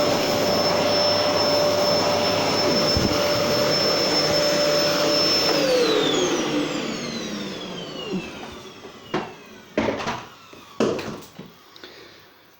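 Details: Gerer8 Power MAX 2000W old vacuum cleaner after passes forwards and back: motor holds an even, high whine, then spins down smoothly when switched off, followed by a few handling knocks; healthy vacuum.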